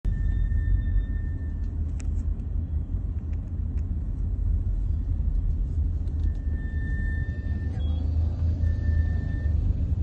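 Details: BMW 3 Series GT F34, 25,000 km, braking gently at low speed: thin high whine fading in and out over road rumble; whine returned a couple thousand km after front pads replaced, calipers greased and brake fluid bled; cause not found.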